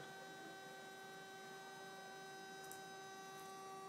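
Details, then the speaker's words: Coil trigger/capacitor/diode circuit with the potentiometer jumpered and turned down: steady, thin electrical whine with a few pure tones; the circuit self-oscillates at about 1.5–1.6 amps. "So if I jump that and I try to turn it down to this, if you can hear that, I've got self-oscillation. So that's what's happening. I got self-oscillation at 1.5 amps, or almost 1.6 amps."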